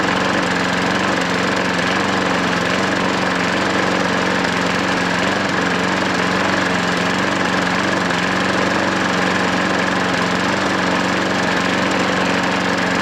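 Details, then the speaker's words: Hayter 43 lawnmower after fixing hydrolock, restarted without priming: steady, even petrol drone with constant pitch and no misses, knocks or surging; normal running. "Wow, what can you say? There's not a lot wrong with that, is there?"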